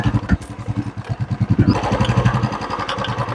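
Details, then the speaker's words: Royal Enfield Classic 350 ridden over rough, potholed road: soft, irregular front-end clunks over the single's thump, louder on bigger bumps. Tightening the external nuts and bolts did not fix it. "तो अभी मैंने आपको चला के दिखाया कि इसके अंदर खट खट की आवाज आ रही है"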